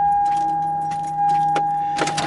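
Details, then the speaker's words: 2001 Toyota Sienna with a no-crank complaint, starter replaced less than a year ago and new battery: steady high whine with scattered clicks, engine not turning over; client suspected a weak battery, but the fault is a bad starter. "the client said go ahead and bring a jumper pack so he'll assume that this has weak battery voltage and if you give it more power it won't make this noise and it'll be normal"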